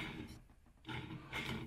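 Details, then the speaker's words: 125 YZ two-stroke engine assembly: rough, gritty growl rising and fading in uneven bursts as the old crankshaft bearing is turned by hand; the old bearing is noisy, unlike the new one. "si je monte l'ancien c'est sûr que l'ancien fait du bruit"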